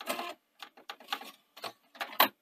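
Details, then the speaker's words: Panasonic DMR-EZ48 DVD/VHS recorder (2011, bought faulty with DVD drive issues, U80/U81 errors): short whirring and clicking bursts as the DVD tray motor keeps driving past its stop; owner suspects a faulty tray end sensor. "i can close it now i've been playing with this yeah it sort of drives on so it strikes me as probably something wrong with that an end sensor there for the the tray"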